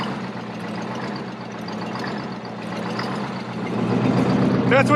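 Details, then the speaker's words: Custom MCI MC-8 coach RV diesel on first start after sitting for years: idle swells and sags in a slow uneven hunt; worn governor components let it bounce against the governor, galloping. "do when they first start is they'll kind of gallop like that a little bit it's because the governor the components of the governor's wore out so it kind of bounces against the governor back and forth"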